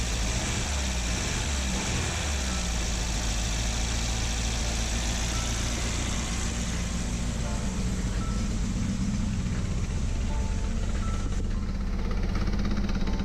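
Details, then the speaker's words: Peugeot 205 GTI under restoration, engine idling: low, uneven, lumpy pulse with a wavering beat instead of a smooth drone; running rough, cause not yet found. "But going back to the engine, as you can hear, it just does not sound happy at all and it wouldn't make sense to go any further without talking this fast."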